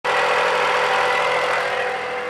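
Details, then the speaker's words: 2018 Dodge Journey 2.4L running: steady whirring whine with a rough gritty edge over the engine, pointing to a worn, wobbling alternator pulley bearing. "Yeah, that's definitely pretty bad engine noises."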